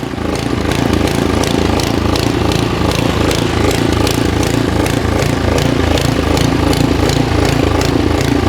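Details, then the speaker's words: Freshly serviced Simplicity SS922E single-stage snowblower after about 10 minutes of running: even slapping thumps near three a second over steady engine run; plastic auger paddle cracked with a big chunk missing on one side. "it worked about 10 minutes and this is what happened it broke on that side and we got a big chunk missing over here"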